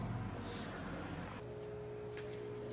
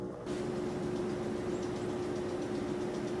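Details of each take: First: GE top-load washer GTW335ASN0WW, in diagnostic-mode spin test: motor hums steadily with a clear tone, but there is no churning of a turning basket; the basket is not spinning because of a drive-belt problem. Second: GE washer GTW335ASN0WW that was not spinning and left clothes soaking wet. After the frayed drive belt was trimmed and refitted, the basket spins with a low, steady, even hum and no slapping or squeal. Normal spin restored; a new belt is still to be ordered.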